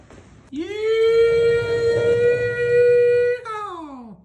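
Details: Free 1980 Honda XL500S single after about 8 hours' reassembly, new fuel line and filter, old tank gasoline: steady even tone climbing and holding, dropping cleanly as throttle closes: normal running.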